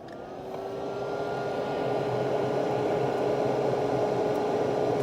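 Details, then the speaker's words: Samsung refrigerator freezer fan running after ice that caught the fan was cleared, with the door button held as if the door were closed. Steady smooth whir with a faint hum and no knocking: normal operation after the fix. "sounds like it's working okay if when we hit this button as if the door is closed"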